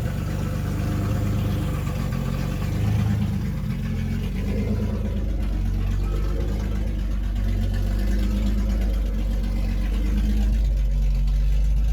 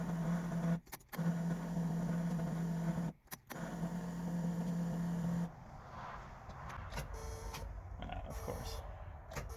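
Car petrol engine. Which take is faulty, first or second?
second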